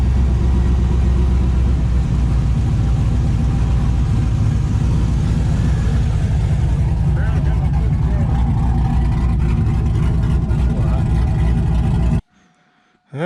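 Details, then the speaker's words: 5.3 V8 with Texas Speed 224r cam, untuned, first run in the truck: loud, deep, even running with throttle blips, no clanking or ticking; engine running healthy, no knock. "so it's alive it ruins there's no there's no uh clanking or clinging or banging or"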